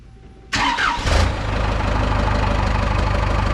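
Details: Cummins-swapped Tahoe diesel started after removing and manually cleaning coked injectors; quick start, brief flare, then even steady diesel clatter into smooth idle, black smoke gone, sounds healthy.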